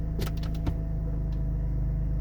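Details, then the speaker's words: BMW SMG gearbox after fixing an improperly pressed lock washer on the SMG fluid line: over a steady idle, a few sharp clicks as gears engage, no buzzing afterward; normal shift. "so i'll put it in neutral i just get the click i don't get the buzz turning it on same thing i'll get the click not the buzz"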